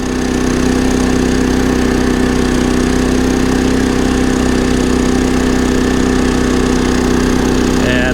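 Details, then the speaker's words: Champion 3400 dual fuel inverter generator on propane, just started after a spark plug change and an oil check: a steady even drone and smooth constant hum with no knocks or misses. Normal running. "Let's see if it cranks. There it is, so it cranked right up."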